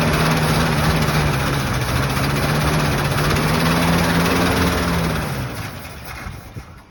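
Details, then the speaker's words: 1975 Ford F750 fire truck, first start in many years, fed from a 5-gallon bucket instead of the tank: the big petrol engine pulses unevenly at about 3.5 per second, then dies. Fuel starvation from a bad fuel pump is suspected. "No, that pump is bad."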